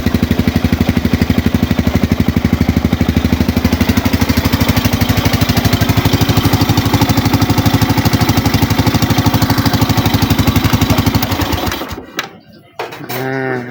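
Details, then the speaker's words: Suzuki Smash motorcycle after a new starter bendix was fitted and the battery charged: small single runs smooth and even with a steady quick beat for about twelve seconds, then shuts off; the no-start was only a flat battery. "mantul kan udah nyala ya kalau ini gara-gara akinya tekor doang nih"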